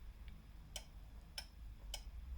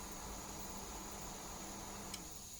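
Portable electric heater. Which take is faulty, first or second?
first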